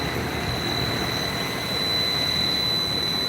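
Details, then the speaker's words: DIY solar-assisted upstairs heat pump with a drive (inverter) running the compressor at 40 Hz: steady high-pitched whine over the compressor hum, normal drive noise; at 60 Hz the drive is barely audible. "when this goes to 60 hertz the uh you barely hear could tell there's a drive in there it's only when it's running the compressor 40 hertz"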